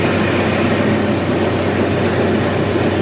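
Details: Heavy equipment running after its shattered steering bearing was replaced with a modified substitute bearing: loud, steady, even rumble with no knocking, clicking or grinding. Normal running, steering sounds healthy.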